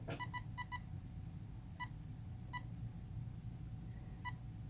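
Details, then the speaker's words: Castle Creations ESC on a Traxxas controller, powered on with full throttle held: burst of four short beeps then single beeps about a second apart, entering programming mode; two beeps indicate brake/reverse type option, option one. "this is indicating to you that it has entered programming mode so you hear the two beeps the first beep is indicating which programming option is in so this is the break reverse type the second beep is indicating that it is choosing option one"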